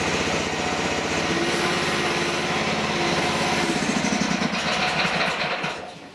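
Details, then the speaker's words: DIY mini excavator with its hydraulic motor unhooked and the two hoses tied together. The small engine pulls down and lugs with an uneven chugging beat, just as it does with the motor fitted: the engine labouring under hydraulic load. "There, you can hear the engine loading up just about the same as when the motor is on there."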